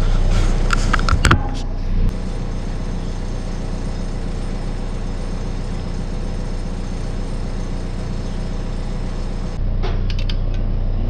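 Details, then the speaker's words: Garage door opener drive motor hums steadily without starting when the open button is pushed; it keeps running once helped going, indicating a failed start capacitor. "all right so we can hear it humming if we push the open button and then as it goes um once we get it going it keeps going but it just won't start which pretty well tells us that the capacitor here is what's given out"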